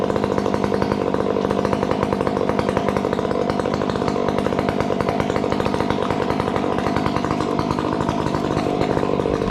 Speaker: it's cutting nice it's cutting nice you hear the odd little fourstroke bark which is fine